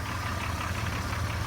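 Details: 2001 Jeep Cherokee Sport 4.0, 200,000 miles, idling: deep steady idle with faint quick light tapping on top; owner unsure if lifter tick, piston slap or rod knock, same for 100,000 miles, runs fine.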